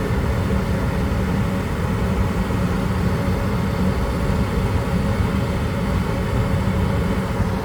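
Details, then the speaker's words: Goodman gas package unit with a gas valve cut-out issue; something was removed from the flue exit, which seems to have solved it for now, still being monitored. Even low roar and steady hum with no surging or dropouts; running normally. "At the moment, we removed this from the flue exit and seems to have solved the issue for right now, but we're going to keep running and checking and see what's going on."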